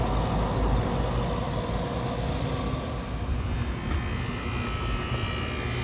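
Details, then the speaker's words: Carrier rooftop HVAC unit with two stages not cooling: after jumping the open freeze stat, the compressor fires up with a loud steady low hum and rumble under fan noise, no knocks or rattles; normal compressor running. "Now when we turn it on, hey, compressor fired up."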